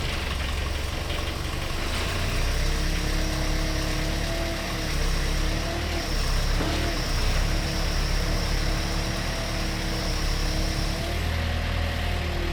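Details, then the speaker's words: Pel Job LS2000 excavator with a Rexroth A10VO28 variable pump, after swapping in a different regulator: diesel drones low and heavy and never frees up when throttled, dragged down by the hydraulics. Labouring under pump load. "Well, the different regulator unit doesn't seem to fix the issue, so we still have the issue badly enough. If I throttle it up, it's just as bad as it was, so that's not good."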